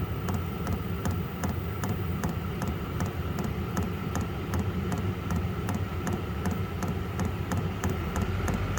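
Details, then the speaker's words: Vevor 12-volt diesel heater, pump mounted at an angle with bubbles seen in the fuel line: fan roar with light, quick fuel pump ticking a few times a second; fan speed surges and picks up instead of holding consistent. "Now it's starting to pick up speed. But it ain't supposed to do that. It's supposed to be consistent."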